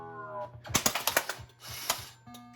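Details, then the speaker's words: 1989 Williams Police Force pinball machine, right ramp diverter assembly at power-on: startup tones, then the diverter clicks four times instead of settling once. The owner suspects it is not finding its stroke switch; the diverter also fails to open fully during gameplay. "It's just going to click when I think it's because it's not found in the stroke switch."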